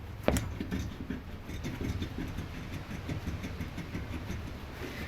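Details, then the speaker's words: 2007–2013 Acura MDX, front passenger-side active-damper (ADS) strut, with the coil spring shaken by hand while on the ground: repeated loose, growly clunks not heard on the other side. A worn strut needing replacement. "And it makes this funny, clunky, growly, I don't know, strange noise. And the other side doesn't do that either, and all the noise is coming from the passenger side."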